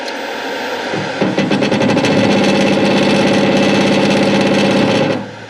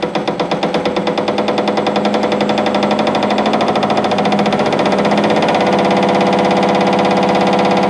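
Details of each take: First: Hare and Forbes PHM-560MK2 power hammer after modifying the motor drive ramp-up time from 10.5 to 1.5 seconds: motor reaches full speed in about 1.5 seconds, blows start almost at once near 200 per minute, steady and even; normal fast ramp-up. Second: Hare and Forbes PHM-560MK2 power hammer in stock setup; blows start slow and spaced, quicken into a fast even rattle; slow start from the motor drive's ramp-up to full RPM, which can be shortened.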